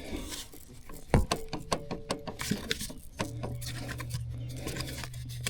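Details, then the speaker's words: Mower shaft, rear u-joint not in the best of shape, rocked by hand; irregular sharp clicks and clunks reveal play, a worn u-joint. "You can hear it wiggling. It just doesn't sound the greatest."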